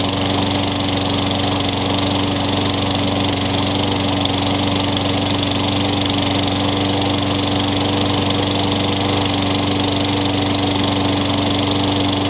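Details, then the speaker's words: Craftsman 22-inch mower, Tecumseh 6 hp engine, trash find with new RJ19 spark plug, running: smooth, steady single-cylinder drone with even buzz, no surging; normal running, no smoke or oil burning. "[Music] [Music] [Music] sounds pretty good for being thrown away I think this engines gonna be alright I didn't see it smoking I didn't smell any oil burning"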